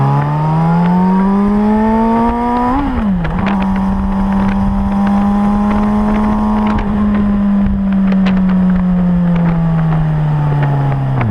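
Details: Suzuki GSR 600 inline-four revving under throttle with a loose metallic clatter riding on the engine note; rattle on acceleration, cause unknown.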